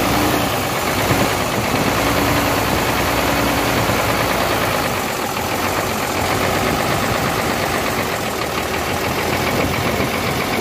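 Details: Hino J08C truck diesel that overheated, with water in it, idling with the top cover open. Harsh, heavy, dense knocking from cylinders 1 and 2 with very high back-compression pressure.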